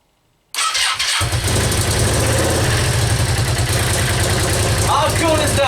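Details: Yamaha Virago XV535 V-twin, first start of a resurrection on choke in cold weather, after new spark plugs, cleaned carbs, new air filter and fresh petrol: catches at once into an even, lumpy idle, no misses or knocks; normal start and idle.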